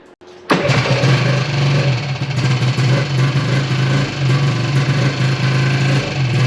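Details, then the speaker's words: 1995 Yamaha Phazer 2 snowmobile, two-stroke, started after sitting five years, stand lowered to get fuel to the pickup: low burble surging and dipping, uneven and lean-sounding; poor running, owner unsure if low tank fuel or dirty carb jet. "so whether that's a lack of fuel in the tank or if it's a lack of fuel getting to the motor because of a dirty jet I don't really know"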